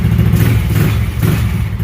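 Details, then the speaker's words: 150cc GY6 scooter trike, long stored, revived; deep, even exhaust note climbing cleanly on throttle, no knocks or rattles; normal revving. "yeah she's she's she's rearing to tear up the streets just needs a new owner to do it"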